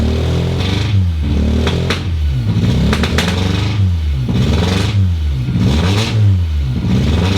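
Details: Mk1 Toyota MR2 (GE engine) just started after about 12 years, no exhaust fitted: loud, open raspy engine revved in blips with slightly uneven idle between; some roughness, cause unclear.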